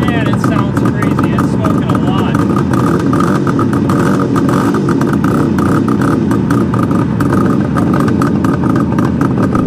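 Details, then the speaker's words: 1973 Suzuki GT550 two-stroke triple, first start after 10 years stored, carbs rebuilt, choke just turned off: rapid crackling burble at a steady fast idle with a ragged edge; runs but smokes heavily, owner suspects a blown crank seal. "nope doesn't seem like it wants to idle just yet oh definitely some smoke"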